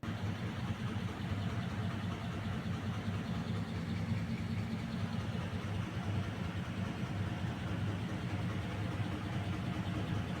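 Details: Package air-conditioning unit, sound heard at the indoor unit side: steady low droning rumble with rough uneven flutter throughout; abnormal noise, cause unclear, with loose belt or broken motor bearing or V-belt pulley named as possible causes.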